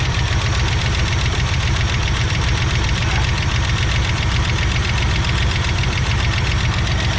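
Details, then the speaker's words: 1965 Ford Falcon with original 289 V8, sitting for years; rough uneven idle with light ticking about two or three a second; valves sticky from sitting, likely not seating properly. "The valves are a little sticky where they have been sitting for a while, not seating probably the way that they need to."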